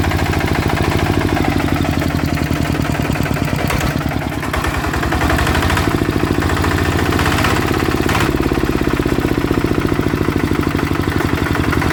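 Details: Blue Bird small petrol engine: rough rattly shuddering drone and vibration, suspected broken/worn crankshaft bearing; runs but noisy, engine disassembled to check.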